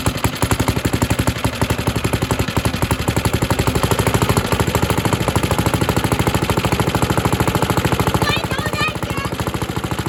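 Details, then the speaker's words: Suffolk Super Punch 17-inch lawnmower: rapid uneven single-cylinder popping that sags and falters, runs then stalls; spark confirmed okay, owner suspects carburetor needs cleaning. "strange it runs and dies that's an old symptom"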